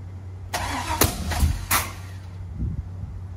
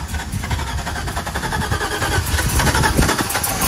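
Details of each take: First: 1985 Camaro Z28, 5-speed, LS engine swap, first start: starter churns with three or four sharp irregular pops, never catches; backfiring misfire because coil leads were swapped. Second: 1985 Camaro Z28 with LS swap and 5-speed, first start: V8 catches and settles into a lumpy, uneven idle with rising bass pulses as it warms while the ECU learns; normal idle.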